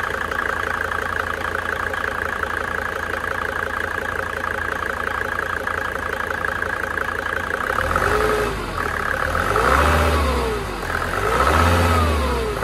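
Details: Mercedes OM605 diesel after injection pump advance adjustment: steady diesel clatter at idle, then two clean rises and falls in revs without misses; runs evenly, normal idle and rev.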